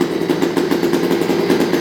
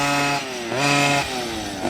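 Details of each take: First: New OBR 46cc two-stroke gas engine with silenced pipe in upgraded Losi 5T 1/5 truck, first start-up, not yet broken in: crisp, rapid buzz with steady, even beat, no misses or rattles; running cleanly, pipe shockingly quiet. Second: OBR 46cc two-stroke gas engine with silenced pipe in upgraded Losi 5T 1/5 truck, retune after initial break-in, cool October weather: raspy buzz rising and falling in repeated revs, rpm sagging and recovering as low needle is richened.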